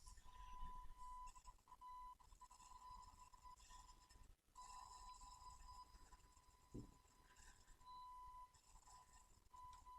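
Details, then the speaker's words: Marshall JCM900 tube amp dated April 1990 (34 years old) on the bench: thin whistle near 1 kHz cutting in and out over crackly hiss while the effects loop level pot is tweaked; dirty loop pot needs cleaning, amp unstable. "tweaking this pot the uh loop level pot and our signal is jumping in and out so that pot definitely needs to clean"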